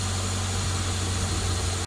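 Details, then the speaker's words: 1998 Toyota Corona Premio, 7A-FE engine, after decarbonizing and during oil flush on old worn spark plugs: steady even idle, no misses or knocks, no smoke; running normally. "двигатель работает Ровно дыма нет работает нормально"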